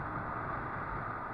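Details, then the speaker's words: 2009 Ford Escape driven at about 60 mph after fixing a P0302 cylinder 2 misfire caused by a bad internal component in the coil pack: steady, even road-speed hum with smooth shifts, no misses or surges; fix appears confirmed. "anything abnormal or anything like that um that's telling me that i think we have a confirmed fix here"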